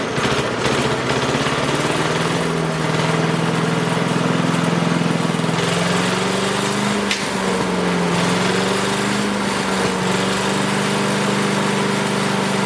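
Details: Craftsman 5 hp wood chipper single-cylinder, revived after sitting 3 years jammed: steady buzz with slight speed wander, no knocks or misfires; initial smoke, likely WD-40 or PB Blaster, cleared and exhaust ran clean. Running fine.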